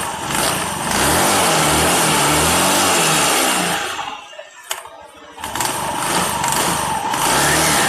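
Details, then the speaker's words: Honda Beat or Vario 150 scooter being revved to demonstrate a noisy CVT, worst when the engine is cold: rough, gravelly crackling rattle under the engine note that eases as revs drop; worn CVT clutch housing. "menjelaskan suara vibel yang bunyi kresek-kresek pada beat atau vario."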